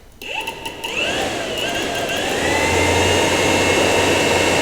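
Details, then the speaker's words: Yamaha R1 2009–2014 radiator fan, ignition on, triggered by grounding the black wire of a manual switch mod (keeping auto trigger): fan whirs up, steady even whoosh, no scraping; works properly. "On entend bien la soufflerie, tout fonctionne, on enlève."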